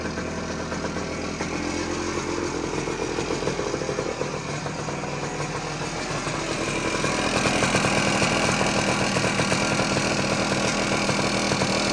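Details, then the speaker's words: 1979 Suzuki PE250 two-stroke single, revived after sitting a couple of years: fairly steady burbling idle rising slightly at end, no misfires or rattles; running really nice, normal idle. "all right well just as I suspected this wasn't going to take much to get it going and it uh it's it's running really nice from what I could tell"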